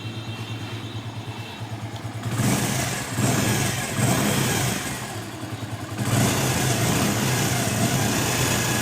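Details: Hero Splendor iSmart 110 motorcycle at idle: dry metallic clatter from the timing chain side; the chain tensioner had an overly thick spring fitted.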